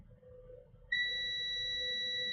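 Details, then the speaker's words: Defective garage door opener board, multimeter continuity test from voltage regulator tab to pin three: steady high beep holds unbroken as probes touch. Regulator output shorted to ground; pin three feeds a chip. "And then I'm going to touch pin three. One, two, three. Oh, it still shows shorted."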